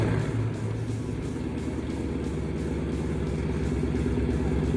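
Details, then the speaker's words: 2009 Dodge Challenger R/T 5.7 Hemi, rebuilt after an engine fire with salvage parts and a new starter, first start: a deep, even, loud V8 burble settling into a steady idle with no knocks or misses; runs clean, needs exhaust. "all right you can hear that the challenger is alive we're gonna go for the first test drive this thing is loud too"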